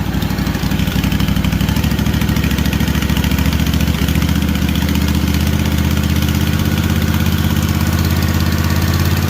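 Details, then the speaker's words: Kawasaki FR730V V-twin, just rebuilt and installed in a Cub Cadet SX60 mower, choke off, revved up a little on first run: quick, even pulsing beat, steady at raised revs, no knocks or misses; oil smoke from muffler, no leaks; normal. "Now I'm going to rev it up a little bit, see what she sounds like."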